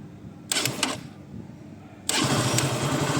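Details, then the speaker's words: Motorcycle after self-start motor was dismantled, carbon brushes changed and motor refitted with terminals reconnected: short starter whirr bursts, then engine catches cleanly and settles into a steady even run; electric self-start now working properly. "இப்போ self start பண்ணி வண்டி run பண்ணி பார்க்கலாம். Self start ஆகிடுச்சு."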